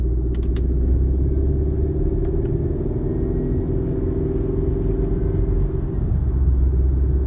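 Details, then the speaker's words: Mercedes C230 cruising at 20-40 mph after fixing driveshaft noise (rubber piece hitting heat shields), AC off: steady low road rumble, no clunks or rubbing; driveline quiet and healthy. "i think that fixed it it had to be that rubber piece i don't think it was the heat shields now i think it was the rubber pieces hitting the heat shields"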